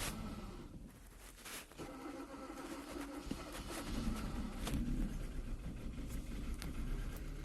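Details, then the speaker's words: 2014 Kia Cerato, previously overheated and cranking without starting: starts after cranking and runs faint and uneven with irregular stumble; clear misfire, intake cam actual 12 vs desired 25. "شوفوك الحين اشتغلت لكن في مس فاير واضح، وهي احيانا يعني جتنا السيارة الحق ما تشتغل"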